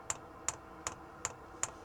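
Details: Van diesel heater after swapping its supplied tank for a fuel line to the van's diesel tank; crisp, even clicks about every 0.4 seconds, with fuel seen flowing solidly without air. Heater fuel pump priming normally.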